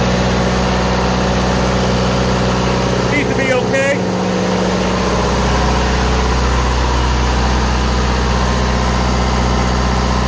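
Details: Onan DJC diesel generator running in a new generator room through a new exhaust with 2-inch to 3¼-inch pipe and wall thimble; loud, steady diesel chug at an even beat, no knocks or misses; running smoothly, healthy.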